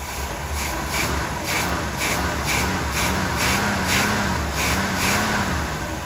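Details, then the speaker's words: Abandoned 1977 Pontiac Grand Prix V8 saved from scrap, carburetor possibly gummy: quiet, even idle with soft steady exhaust pulse, condensation dripping from tailpipe, zero popping or misses. Normal idle. "I imagine that carburetor is a little gummy, but I would think so, but my Lord, that's quiet."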